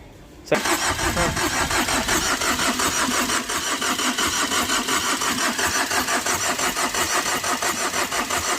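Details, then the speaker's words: Tata Vista after overheating when a radiator hose came off in underside impact; starter churns steadily about three beats a second but never fires during repeated cranks; won't start, cause unconfirmed, battery risks draining. "तो आप देख सकते हैं लगभग दो prank हमने किया लेकिन इसके बावजूद भी गाड़ी स्टार्ट नहीं हो रही है"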